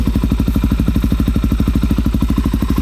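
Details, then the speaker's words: Wrecked 2019 Suzuki DRZ400 supermoto from auction, first start: crisp, even single-cylinder thump at about three beats a second, steady and strong through a loud open exhaust; runs clean and healthy. "Woo! Dang, that sounds good. I love it. That sounds really good."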